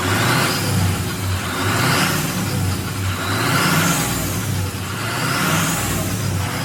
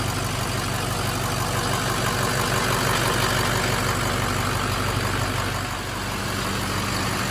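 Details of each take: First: Abandoned Ford F550 diesel truck after lift pump fix, revving: engine rises and falls in slow waves with a rising turbo whoosh each rev, no knocks or engine noises, not falling on its face; healthy diesel revving with turbo spool. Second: Abandoned Ford F550 diesel truck just restarted after lift pump issue was fixed: steady idle with faint pulsing about three times a second; owner suspects air still in the fuel system, heard bubbling, needs to run it out; uneven diesel idle.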